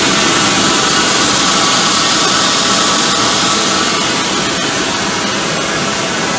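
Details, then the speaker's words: 2005 CompAir L45SR variable-speed air-cooled rotary screw compressor, 60 HP 45 kW motor, enclosure doors off, exhausting full air through a pipe with no dryer: steady hissy air roar over even motor hum, no knocks or grinding; running healthy. "so I will start it and we'll listen to it ramped up and again it's just gonna exhaust a full full air so you won't really get a feel for the variable speed other than when it starts up"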